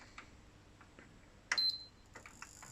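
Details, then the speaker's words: PS4 Pro power supply, opened and powered on the bench: faint irregular ticks with a short high chirp at switch-on, not the fan; an inductor is making the noise; PSU inductor clicking. "Strange, right, so that noise, it's not the fan underneath there. Turns out that it's that inductor. Okay, so that's strange. We've got a magnetic component, i.e. an inductor, making a lot of noise."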